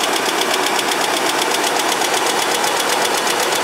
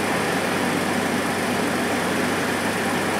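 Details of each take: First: Chevrolet S10 pickup ("junk" project truck), cold idle: sharp, regular ticking about four per second over the idle, mild at first; owner first thought exhaust leak but now doubts it, suspects valvetrain/lifter tick, trying engine flush. Valve train tick. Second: Chevy S10 after GUNK motor flush, cold start after sitting two days: smooth, even idle with no ticking at all; the earlier tick, once thought an exhaust leak, is gone, with good oil pressure.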